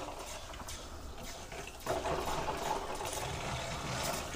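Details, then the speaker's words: Elddis Avante 566 (2012) caravan tap after filling the water system: quiet running water with irregular spits and gurgles as the flow settles; trapped air still coming through, wait for it to clear before using the water heater. "you can see it still it's just Spurgeon very slightly there so we've still got a little bit of air in the system just wait for that to go and then"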